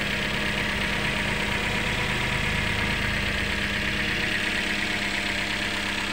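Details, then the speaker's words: Toyota Yaris after fixing timing and spark plugs (previously rough, overheating, losing coolant): steady even idle, smooth low hum, no knocking or ticking. Normal idle. "sudah halus ya teman-teman"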